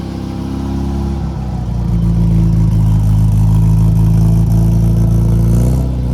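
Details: Restored 1969 Datsun 2000 roadster, 2.0 liter engine, just after a cold start: climbs smoothly from idle to a steady higher rev and holds evenly, firing clean with no knocks. Normal revving after cold start.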